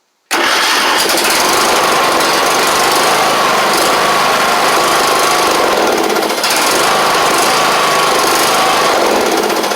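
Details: John Deere LA100 mower with 5-speed transaxle, sat long, hard starting from out-of-spec valves, fresh gas added: engine catches straight away and holds a steady, even buzz without stumbling; starts and runs properly.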